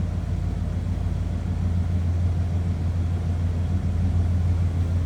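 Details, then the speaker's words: 2001 Dodge Ram 1500 SLT 4x4, 5.9L V8: deep, steady V8 burble at idle, smooth and even with no ticks or knocks; exhaust sounds as expected, nothing over the top. Normal idle. "Let's take a listen. I guess sounds as you'd expect. Nothing crazy over the top exhaust"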